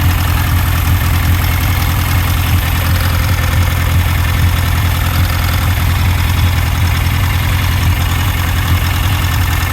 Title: Misfire on cylinder 4